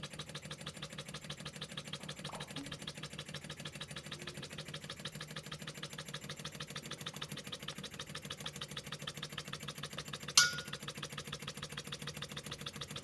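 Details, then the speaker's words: Scratch-built Wig Wag wobbler oscillating steam engine on compressed air from a compressor: light quick even chuffing throughout, no knocks or stumbles; running well. ">> Right, so that was the little engine running well."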